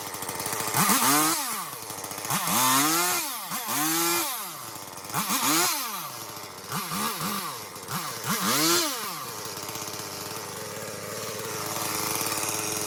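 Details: Chainsaw after chain tension adjustment, clearing cedar underbrush: revved in repeated bursts about every second and a half, climbing and dropping cleanly before settling to a steady idle; runs normally.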